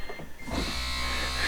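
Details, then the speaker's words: Smart ForTwo Electric Drive, over 100,000 km and 11 years, after brake failure and vacuum pump repair, pressing brake in cabin: steady electric whir of vacuum pump; working, owner unsure if louder than before. "so far that vacuum pump is still working get in here and hit the brake you can hear it I don't know if it's louder than it used to be"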